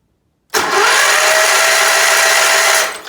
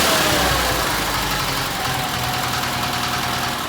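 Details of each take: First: Case 446 "Big Wheel" lawn tractor twin, barn-stored several years, cranking on compression test: starter spins fast and even with no compression chuffs, 0 on both cylinders; later found debris holding the valves open. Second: Case 446 "Big Wheel" lawn tractor twin, barn-stored several years, after removing carburetor air-filter screws that fell in and held valves open: steady even beat about five seconds, then shut off and spins down cleanly; normal running.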